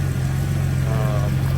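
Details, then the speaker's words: Nissan Xterra V6 after exhaust manifold/header work and coolant top-up, warmed up: smooth, even low idle with a steady drone, no ticks or knocks; normal healthy idle. "Still running great. The motor sounds amazing. No ticks, no knocks."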